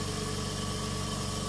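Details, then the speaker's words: Oxygen concentrator opened up for teardown: its compressor starts and runs with a steady, even hum and a fine buzzing vibration, with no knocks or squeal. This is normal compressor operation. "is removed. Compressor starts running."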